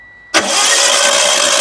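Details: Hyundai Getz under repair after overheating, oil pressure switch test with mic placed: steady two-tone beep cuts out the instant the engine fires and settles into even idle, so oil pressure came up normally.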